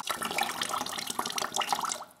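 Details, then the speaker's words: Newly installed aluminium composite water line with press fittings for a kitchen, during leak test: water runs in a steady, even hiss with no air spurts or sputtering, so the line is fully bled of air. "keine luft mehr der bereich assets entlüftet"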